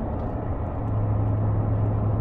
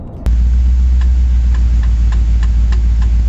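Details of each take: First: BMW E31 V8 cruising in fifth gear with a slight touch of throttle: steady low V8 exhaust drone with no rumble or boom underneath, sounding as it always has; normal cruise. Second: BMW E31 driving: sharp metallic tings about every half second over a steady low drone, from a worn propshaft constant velocity joint. It worsened despite center-bearing preload and eventually shook the car.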